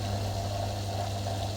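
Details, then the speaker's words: Very old General Electric dishwasher after repair, running on option 2. The drain pump gives a steady low even hum as the remaining sump water is pushed out smoothly, with no rattle or grinding; it previously did not work and now drains normally. "Now you can hear the noise. Now already working drain pump here."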